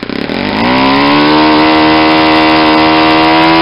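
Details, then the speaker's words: Saito 50 four-stroke RC engine, first run after rebuild with new ring, APC 11x7 prop, Omega 10% fuel, warm; needle leaned out from rich: note climbs to a high steady buzz near peak rpm, less exhaust smoke; lean mixture near peak, possibly too lean for run-in. "see how much the exhaust most decrease how the sound of the engine picked up an RPM I was getting near the peak"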